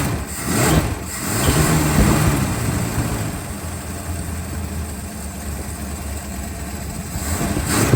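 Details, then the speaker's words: 1964 Chrysler Newport with points ignition, started with a start-bypass wire on a jump box: after the start wire is pulled, running through the ballast resistor, the V8 idles smoothly and evenly with no misses, still running and charging. "Pulling my start wire. Yep, still running."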